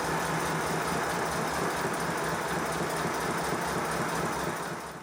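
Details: 5-inch gauge Modelworks Pannier Tank steam locomotive, boiler and water tanks full, after suspension adjustment, with an even exhaust beat about three per second and no knock; it runs smoothly.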